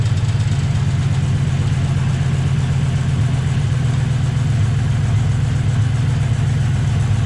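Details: 2008 Ford Mustang GT with passenger-side misfire, after new spark plugs and fuel injectors: steady low idle with a faint uneven lump in the beat; cracked cold air intake and PCV tube leaking air, causing the misfire.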